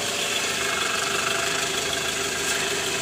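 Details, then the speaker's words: 2012 Toyota Alphard ANH20 (2AZ engine), ~100,000 km, after replacing worn loose balancer shaft; heard from under car near oil pan, in gear (D/R); even hissy hum, no knocking or rattle: normal smooth idle. "Jadi, kami menemukan poros penyeimbang longgar, dan sekarang setelah kami menggantinya, suara mesin jauh lebih halus, Teman-teman."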